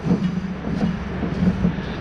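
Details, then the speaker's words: Craftsman T110 mower deck spindle spun by hand with belt tension and brake released; low, gritty rumbling roar swelling and fading each turn; spindle is done; worn spindle bearing. "know if you can hear it but it's got a nice [Music] it's got a nice roar to it so this specific spindle is done"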